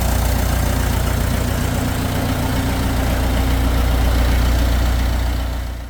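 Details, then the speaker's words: Massey Ferguson 165 diesel tractor that wouldn't start, after new fuel filters, cleaned sediment bowl and bleeding injectors on the CAV injection pump; deep even chug about 220 beats a minute with no misses or knocks, running like a charm. "here there runs like a charm"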